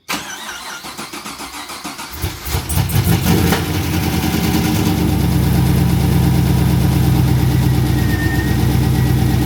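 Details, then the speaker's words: Abandoned Pontiac GTO project car, first start after revival: starter cranks about two seconds, catches with a few uneven pops, settles into steady even rumbling idle around 870 rpm, 45 psi oil pressure, quieter than expected; normal start. "It sounds pretty quiet. It actually doesn't sound that loud at idle. I thought it was way louder."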